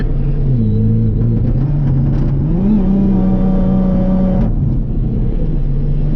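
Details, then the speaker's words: Supercharged car on boost, datalogging: engine pitch climbs under part throttle, then wavers and stutters. It breaks up at about 70-80% throttle in drive but not really in first, second or third; the cause is unknown. "let's ease into that this time oh she's breaking up why are you breaking up like that"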